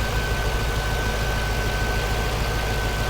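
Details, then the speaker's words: 2006 Pontiac GTO, unmodified 6.0 LS2 V8, stock air box, exhaust and manifolds: steady, even low rumble with no misses, knocks or ticks; a smooth, healthy idle. "6 liter has a really healthy idle sounds good feels good to drive still has the stock exhaust manifolds on it and everything"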